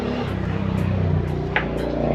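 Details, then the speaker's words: Grand Master GM-600 power amplifier: steady loud low buzzy hum through the tweeter on one channel even with volume off, channel 1 quiet. "May Ugong yung Twitter natin Pero dito wala yung channel na ito yan yung channel 1"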